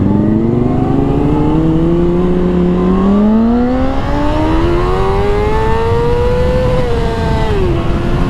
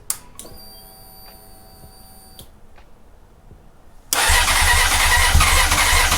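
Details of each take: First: 2004 Honda CBR600RR after a throttle cable replacement, accelerating hard up a freeway on-ramp; it previously would only sometimes pass 13,000 rpm. Revs rise cleanly and strongly with no flat spot. Normal acceleration, cable confirmed as the fault. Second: 2004 Honda CBR600RR on a cold start after a new throttle cable, fuel lines being primed. Clicks, whirr, then about two seconds of cranking roar that never catches. Hard start.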